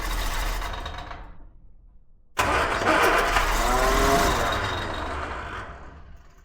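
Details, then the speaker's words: Fire-damaged 1969 Ford Escort MK1 van, crossflow engine, petrol added: fires, dies abruptly, catches and runs roughly, fades out. Coil lead keeps coming out, so intermittent running. "Bloody core wire keeps coming out. Give me a couple of minutes to sort this out and I'll come back here."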